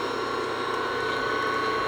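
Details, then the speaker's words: LeBlond lathe's three-phase motor after bearing replacement, smooth even hum with steady high tone and no knocking, grinding or roughness. "sounds nice now"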